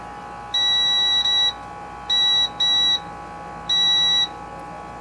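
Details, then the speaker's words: Sears LT1036 lawn tractor's Tecumseh engine, continuity tester on the ignition points after cleaning them: clean high beeps in short repeated bursts; points closing and conducting. "Well, it should be closed now, and we should hear something."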